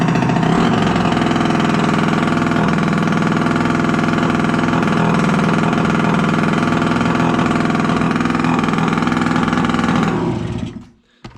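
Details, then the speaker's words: Piaggio Liberty 50 two-stroke air-cooled scooter, sat two years not starting, now running after cleaned plug and fuel refill, exhaust off: loud, rapid, even crackle holding steady revs; runs cleanly and idles evenly. "скутер працює тільки гримить бо немає вихлопної но все працює чудово і заводиться"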